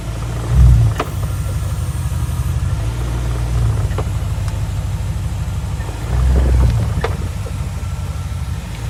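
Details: 2004 BMW 645Ci E63 SMG: a steady V8 idle, then dull thumps when pulling away forwards or backwards, fine in gears 2–6. The owner is unsure whether it is the SMG gearbox, SMG cylinder, clutch or flywheel. Knocking when pulling away.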